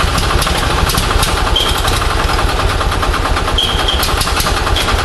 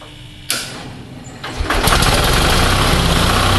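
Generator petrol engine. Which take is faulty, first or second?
first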